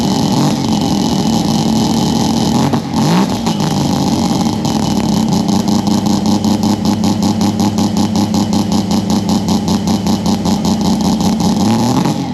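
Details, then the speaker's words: Mazda 13B rotary with Weber carburettor, now running well after adding a fuel return line to cure fuel heating from nearby headers, early rainy morning: brief throttle blip then brisk, buzzy, even idle; healthy and steady. "um but yeah so this is running mint now I'll start it up shortly"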